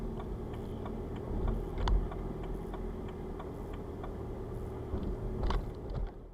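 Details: 2008–2011 BMW 1 Series E81 116d 2.0 diesel (N47 D20 A) making irregular light metallic rattles over a low drone. It happens when starting to drive below about 12°C and stops once warm. Two garages and a smoke test found nothing; they suspect loose metal in the exhaust after DPF removal.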